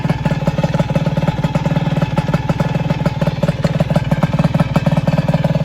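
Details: Single-cylinder engine after balancer bearing failure repair, with new flywheel/ignition plate and nut: crisp, even putt at about three beats a second, steady, no knocks or rattles; a healthy idle.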